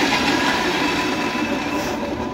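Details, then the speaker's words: E-rickshaw with loud grinding noise while running, both rear wheels lifted at full throttle: steady high whine with rough grating edge, same from both wheels, so wheels ruled out; fault suspected in motor bearing, motor or crown gear. "आपने देखा दोनों पहियों को उठा के हमने देखा दोनों तरफ से वही आवाज आ रही है जो उस पहिए से आ रही थी वो इस पहिए से आ रही है"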